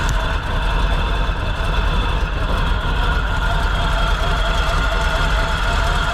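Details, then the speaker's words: Big-block Chevy V8 in a 4x4 1957 Chevy sedan delivery, first run after revival: idles steadily with a deep, even rumble and a constant high whine from the gear-drive timing set; accelerator pump works, no coolant or fuel leaks. "okay it ran pretty well it idles seems like the accelerator pump's working I don't see any coolant leaks no fuel leaks you can definitely hear the Gear Drive making noise"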